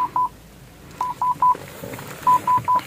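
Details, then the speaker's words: Toyota Yaris automatic, rear parking sensor: continuous short "tit tit tit" beeps with nothing behind; pressing the sensor doesn't register on the audio display, so one reverse sensor has failed open circuit. "tapi kalau yang bunyi tit tit tit itu ini karena sensor mundurnya rusak"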